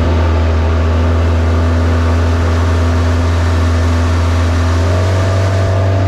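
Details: Flood-washed Bayliner boat, alternator overcharging 16 volts, hull taking on water, at full throttle: steady strong drone, pitch climbing slightly, no misses or knocks; running good.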